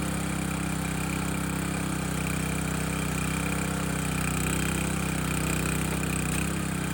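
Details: Landworks 20-ton log splitter engine splitting a dry 24–25 inch log; small engine drones evenly with a brief low bog as the ram pushes through, then recovers; split easily, healthy normal running under load.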